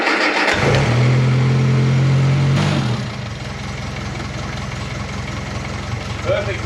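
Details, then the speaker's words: Classic Mini after replacing brake booster with internal fault that caused honking, brakes bled, firm pedal: starter churns, engine catches and settles into even idle with no honk; normal idle, problem fixed. "we've put a new brake booster in there we've confirmed that running the vehicle has rectified the problem so we've pretty much fixed it"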